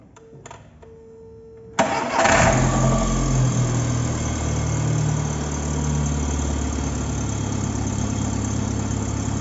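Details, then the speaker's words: 2005 VW Gol 1.0 8v Power engine after repair for lifter (tappet) noise with new timing belt, tensioner and water pump: cranks, catches and settles to a smooth quiet idle with no top-end ticking. Normal start and idle. "O que é só motor bem quietinho ali ó"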